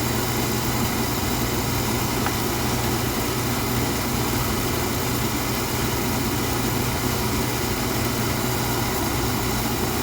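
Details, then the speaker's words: Oil-fired furnace burner restarted on purge mode to bleed out air after service: a steady roaring rush of blower and flame. "Oh, she went off on safety again."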